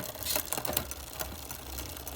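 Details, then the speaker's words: Carbon gravel bike, Wheeltop 1x wireless groupset, rear derailleur on default settings: light quick ticking and chatter after shifting as the chain sits between two cogs; one shift did nothing, indexing needs fine tuning. "one's in between too. These are all default values. That one didn't do anything."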